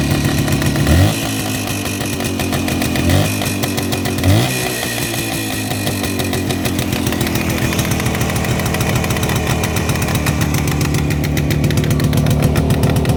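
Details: Jawa 360 two-stroke twin on a rolling frame after teardown, about fifth start, new plugs, 6 V battery: raspy throttle blips settling to an uneven, lumpy idle; one cylinder suspected not firing, unconfirmed.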